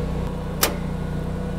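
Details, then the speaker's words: 20 kW Briggs & Stratton automatic home standby generator during a transfer test, after 15-30 s warm-up: steady even engine drone, then a sharp clack as the outdoor transfer switch contactor puts the house on generator power. "okay the house is fully on generator power now it's as simple as that"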